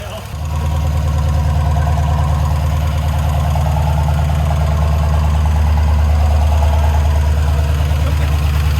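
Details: LS-swapped 1968 Ford Bronco with a 5.3 LS V8, first start, 37 psi oil pressure: the fresh engine idles with a quick, light clicking at about three per second over the rumble from four bad lifters, since replaced.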